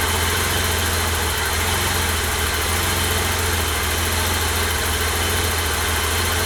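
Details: 1988 BMW E32 735iL with rebuilt M30 B35 straight-six, first start after the rebuild (fuel pump primed; original block had 395k): smooth, even idle with a steady low hum, no knocks, misses or ticks; normal idle.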